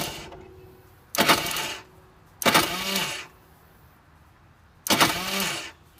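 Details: Vortex Mini Rok kart engine, hard starting: three short whirring bursts spinning down freely with no engine turnover; starter Bendix not engaging the starter gear.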